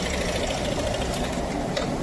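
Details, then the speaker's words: Yamaha NMAX scooter at idle with the CVT opened and clutch removed: steady idle with a light, quick knocking under it that follows engine speed, from inside the engine rather than the rollers; connecting rod bearing knock, engine must be disassembled. "O barulho tá dentro do motor, rapaziada. Você acredita? Vamos ligar ela aqui. Tá sem sem embreagem. Achei que os barulhos era no rolete. Barulhinho de biela, filho."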